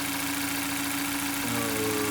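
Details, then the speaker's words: Mazda 6 Skyactiv 2.0 idling after a bearing-shell repair for a knock that began after a bad oil change (suspected counterfeit oil), engine not yet warm. A smooth, even hum; the high-pressure fuel pump ticks but there is no knock yet. The knock later returned. "Так мотор завезли здесь посторонних пока не слышу Он еще не особо нагрелся"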